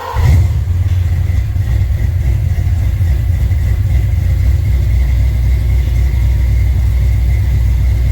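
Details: Mustang V8 with Holley Sniper fuel injection on a dyno: deep, even roar holds steady under load with no misses, knocks or rattles; runs good, though it shows blow-by, burns some oil and tire slip; normal running under load.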